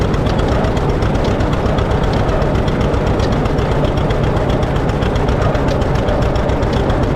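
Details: 1950 John Deere D, reassembled after fixing a corroded exhaust valve and a blown head gasket: heavy loping two-cylinder thump running fast and slightly uneven; surges at light throttle, owner suspects the governor, unconfirmed.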